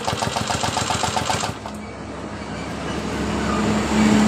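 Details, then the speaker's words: Yamaha Aerox scooter that died suddenly while riding, showing code 12, oil completely empty: slow, heavy starter cranking that quits without firing; engine feels heavy. "tapi petirnya terasa Masih berat juga kemarin sudah kita cek di bagian olinya olinya juga habis total"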